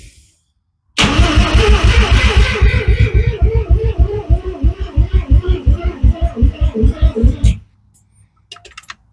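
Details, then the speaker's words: FB RX7 with the alternator belt not fitted, so it cannot charge: the starter turns in slow, labouring pulses about two and a half per second and fades out without firing, the battery run flat. "It doesn't have an alternator like attached right now, so it's gonna run the battery dead."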